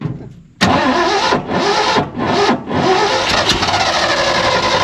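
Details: Abandoned 1970 Ford F600 U-Haul truck that sat about 30 years, start attempt: loud continuous starter churning with brief dips, never catches; cranks, no start. Spark and glow plugs questioned.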